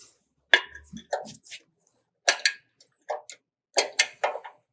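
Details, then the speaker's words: Demco grain wagon brake cluster, adjusting the star wheel with a spoon through the rubber plug: crisp separate clicks, one per notch, as the wheel is indexed. This is normal adjustment, backed off 20 notches after tightening. "You reach in and you'll feel an adjusting star, and what you do is you push your hand down and you'll hear kind of a clicking noise. That's indexing the star wheel one notch at a time."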